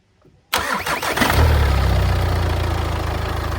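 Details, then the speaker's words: Wrecked 2014 Audi A3 saloon sold as non-runner, first start: short crank, catches cleanly, settles into smooth steady idle with no knocks or misses; normal start and idle. ">> She runs and it sounds good as well."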